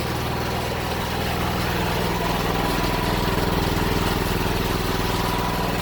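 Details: Honda GX390 single-cylinder generator engine, sat about a year and wouldn't start, running after carburetor cleaning: steady governed speed, even beat, no surging or hunting; runs properly.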